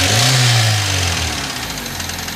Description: My 2004 Hyundai tiburon is making a ticking noise stops then goes I'm thinking bearing but it's weird how it stops then comes back any help would be great its a 2.0l